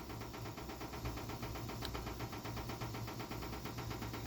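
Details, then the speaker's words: Furnace at startup: steady low rumble under a fast, even internal rattling clatter from inside the cabinet, present the moment it fires up; source uncertain. "It's making this internal noise from the inside the second it turned on Z."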